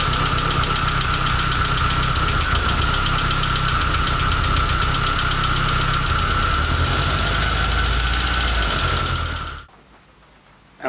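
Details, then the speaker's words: Porsche 924 S with swapped VW/Audi 1.8T AEB turbo engine, first start; lumpy clattering run about four beats a second, shaking unevenly until it cuts out; running rough, cause unknown. "unbelievably happy that this is running rough as it is like a bag of spanners but it's really running"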